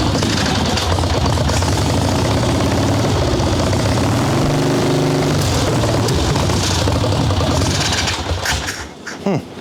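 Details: Harley-Davidson Ironhead Sportster chopper, Mikuni VM38 carb, choke off after warm-up, idle bumped; uneven stumbling V-twin blubbering and hesitating on throttle, boggy; owner doubts it's only carb; dark plugs, rich mixture.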